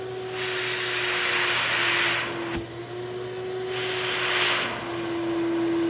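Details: Shop vacuum motor running for a CNC vacuum table (white table under an MDF wasteboard), pulling hard against the sealed sheet: steady high motor whine under a hiss that swells and fades twice.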